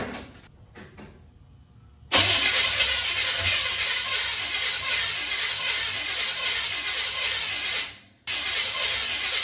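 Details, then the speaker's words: 1969 Chevrolet C10 being revived, possibly bad carburetor: starter spins the engine in a fast, even churn for about six seconds with fuel poured straight in, but it never catches; crank no start, carburetor suspected of not getting gas. "damn I got gas going straight to it and nothing's happening"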